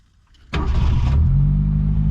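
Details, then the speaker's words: 1972 Ford Pinto 4-speed, abandoned car revived, restarting after being shut off: catches within a second and settles into a smooth, even idle; healthy start. "Purring like a kitten. Maybe not like a kitten, but like a Pinto."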